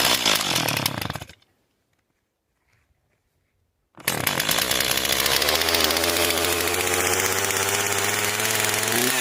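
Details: Stihl 260 chainsaw first started after maintenance, at -5 °C in snow: it runs, cuts out, then restarts and settles into a steady high buzz with an even beat, running cleanly now and left to warm up.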